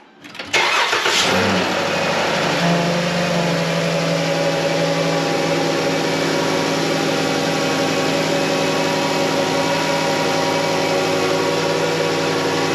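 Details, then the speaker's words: 2014 Dodge Grand Caravan 3.6 Pentastar V6 after oil filter housing replacement, spark plugs, coolant top-off and oil change: cranks briefly, catches quickly, settles to smooth even idle, no knocks, ticks or misses; normal start. "Okay, that sounded good."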